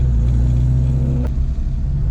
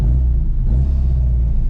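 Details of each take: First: Classic Mini with twin SU carburetor conversion on its first drive, idle set slightly high, plugs suspected fouled after a cut-out and throttle cable sticking: crisp, even revs climbing and dropping through the gears without misfire; healthy. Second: Classic Mini John Cooper conversion with twin SU carburetors, first drive after cutting out: deep steady rumble slightly above normal idle; owner suspects sticking throttle cable and fouled plugs, plans to lower idle speed.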